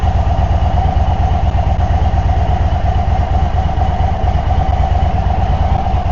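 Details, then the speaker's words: 2024 Indian Sport Chief V-twin just after a Stage 1 air intake install: a loping, even idle with steady low pulses, roughly three a second, and no ticks or knocks. Normal, healthy idle. "throwing a little more fuel in there. I can smell it. The big thing, you can hear it."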